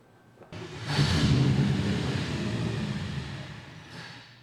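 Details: 383 small block Chevy V8, carbureted: catches, roars briefly, then sags and fades within seconds, won't hold an idle; cause suspected, not confirmed.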